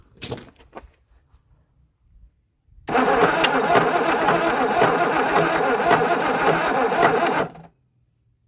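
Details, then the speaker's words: Boat engine for a 1967 Mustang fastback budget build, previously locked and unturnable by ratchet: loud rough cranking with a regular knock about three times a second; owner suspects piston or rod, sound possibly transmitted through crankshaft from the back. "thing's done that sounds like a piston A Rod or something I don't know that's awful"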